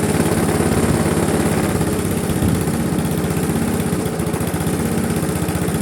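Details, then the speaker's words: Briggs & Stratton Classic carbureted engine on a Razer GGP (ex-Castel Garden) mower, after carburetor work: no longer stalls but chugs at a slow steady putter, never revving up; governor springs found slack, unable to open throttle. "Notre moteur fonctionne, il cale plus, par contre il ne prend pas du tout de tour. Et là, quand je vois ça là, quand je vois les ressorts qui sont tout détendus là"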